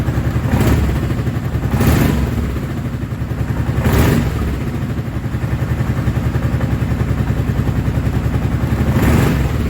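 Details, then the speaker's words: Kawasaki Prairie 650 quad ('02 or '03), just reassembled and coolant added, freshly started and warming up: steady low single-cylinder putter with even firing and a few louder swells, no earlier rattle or click; normal idle. "Hopefully I don't hear that rattling, clicking sound that I was hearing before from when I put it back together. Yet. That's a good thing."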